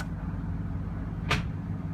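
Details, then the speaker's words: 1997 Ford F-150 4x4, truck idling in neutral, transfer case shift motor wired directly to a switch bypassing the GEM: steady idle then one sharp click as it engages four low; normal engagement. "you'll hear it too whenever it clicks whenever it engages"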